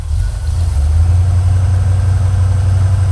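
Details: 1980 Corvette V8, started with an empty float bowl using pumps and choke: deep, steady burble with an even low beat and no misses or knocks; a healthy, smooth idle.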